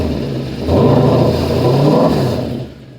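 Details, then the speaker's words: Mercedes-Benz C63 AMG V8 blipped up and held, with a raspy puffing edge under the exhaust note from a small exhaust leak in the driver's side pipe to the muffler, which needs welding. "Yeah, the car is not supposed to be making exhaust noise right there. So, at least the exhaust leak is not that bad."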